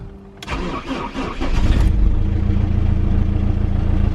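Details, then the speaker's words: BMW E46 320d (M47 diesel), 200,000 miles, first start after repairs including a failed crankshaft pulley, glow plugs cycled: brief crank, then catches at once into a steady, even rumble; clean cold start, though an exhaust leak is suspected at the downpipe flexi. "Just I want to see if the thermostat is working. Engine sounds pretty good though."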